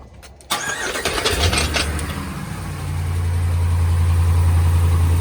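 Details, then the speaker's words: 2015 RAM 1500 5.7 Hemi after replacing a broken exhaust header bolt to fix a cold-start exhaust-leak tick: quick crank, V8 fires and settles into a smooth, deep idle with no ticking; sounds healthy. "no more people like get that ticket Time Bomb [ __ ] out of here dude"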